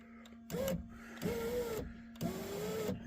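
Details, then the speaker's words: 2003 Chevy Tahoe passenger-side window regulator after replacement, with bolts snug but not yet tightened, window run up to reach the clamp bolts: three short motor runs, each a smooth steady whine with no grinding or clicking; normal power window operation. "I think I'm going to go ahead and turn the power on run the window up to where I can get it to that spot and this spot and and then tighten the bolts that way"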